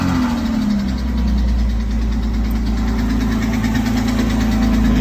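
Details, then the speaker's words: 2006 Porsche 987 Boxster base flat-six, 65,000 miles, oil level full, idling with a steady light knock about three a second. It began two days after an oil change; a stuck lifter had damaged the intake camshaft. "Just had an oil change at the dealer and have a knocking sound. Need some help here. Is it lifter or something more catastrophic?"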